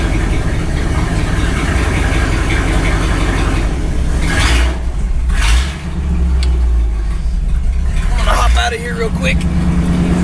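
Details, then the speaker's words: 1964 Ford Galaxie 500 just revived after 15 years sitting with new condenser, at idle: deep uneven rumble with ragged blatty exhaust note, no lifter tick; exhaust is terrible, possibly leaking; accelerator pump leak also noted. "that said the exhaust on this thing was pretty terrible he's right it doesn't sound very good"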